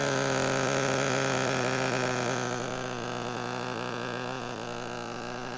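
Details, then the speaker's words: Traxxas nitro RC car with a .15 engine, glow plug fitted, idling with no transmitter after a fuel tank pressure line leak was noted: steady, clean high-pitched buzz with no stumbling; quiet and idling very nicely. "I love hearing this little .15 engine run. It is so quiet. It idles really, really nice."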